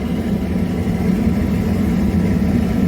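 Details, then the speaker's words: Waste oil heater burn bowl with water-heater fan air, valve opened to full air during pre-start burning off oil: deep, steady, even roar with low rumble, no pulsing or sputter; normal burner operation. "what it takes you can actually hear the the roar so on the pre-start is trying to burn off that oil"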